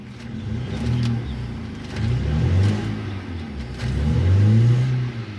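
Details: Hyundai i10 petrol engine with heavy vibration and check-engine light on, revved in short bursts: uneven, stumbling exhaust note. Scanner logs misfires on cylinders 2 and 3; cylinder 3 is not firing, and water is found there, apparently after a car wash.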